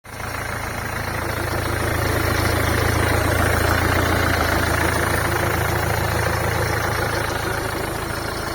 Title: MERCEDES C CLASS ENGINE KNOCK VIDEO